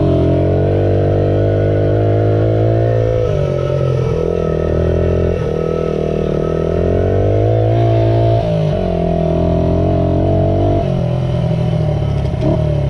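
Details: Restored 1978 Honda XR75, last run around 1989, ridden after a misset adjustment was corrected per the manual: the little single pulls cleanly through repeated rev rises and gear changes, with no popping or hesitation; normal running.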